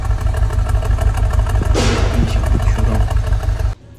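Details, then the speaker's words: Mercedes E300 with the M264 engine, check-engine light on and a fault code pointing to an injector, shaking badly. Uneven exhaust beat at idle with a regular stumble; live data shows a cylinder 2 misfire, later traced to a cylinder-head valve guide issue. "电脑读数据流发现，二缸工作不平稳，二缸失火。"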